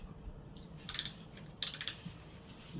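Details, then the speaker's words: Supreme Casablanca Zephyr copy ceiling fan run on high via solid-state control: two short bursts of gritty crackling crunch over faint fan hum, not present before; bearings suspected, possibly loose screw vibrating, not confirmed. "they heard the crunching and got I know my own kind loud it does sound like bearings though"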